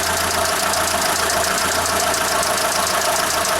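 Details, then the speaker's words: Mitsubishi Space Star 1.6 4G18 at idle, suspected hydraulic lifter noise, with slight misfiring as throttle is nudged: fast, uneven clattering tick under the valve cover; worn camshaft and pitted, scuffed rocker rollers found. "здравствуйте mitsubishi space bar двигатель 4 g18 вот такая вот работа шумная макора я не знаю видно или нет перебои работы немного двигать его подкручиваю"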